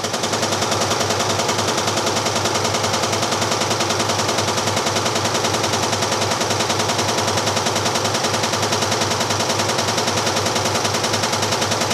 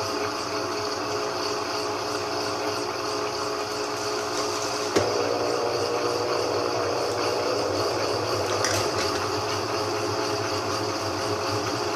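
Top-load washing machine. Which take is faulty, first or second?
first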